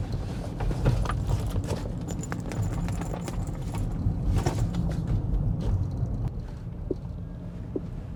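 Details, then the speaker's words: 2026 Rivian R1T Quad Max electric truck driving on the highway: a light, irregular clicking rattle over steady low road rumble, coming and going; driver suspects something loose in the door. "Except there's something shaking. Something's rattling pretty loud."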